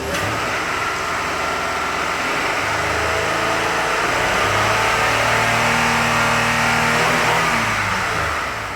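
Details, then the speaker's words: 2005 Honda Odyssey after clearing codes by disconnecting the battery, not yet at operating temperature: engine climbs smoothly to the rev limiter and settles without stumbling. Revs freely with no VSA lights. "revs up just fine now no vsa lights that's hitting the rev limiter"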